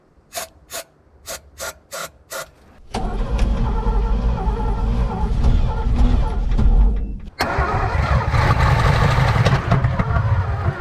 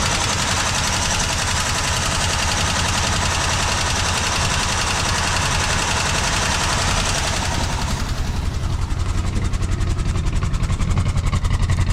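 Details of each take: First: 1970s Chevrolet C-10 Custom sat 30 years, fed from temporary fuel tank on jump starter: short cranking bursts then rough uneven spells, never a steady run, jump starter cuts out. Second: 1970s Chevrolet C-10 Custom, revived after about 30 years sitting, no radiator fitted: steady idle quickens and sharpens after about eight seconds as the idle screw is turned up, then stays even; it runs.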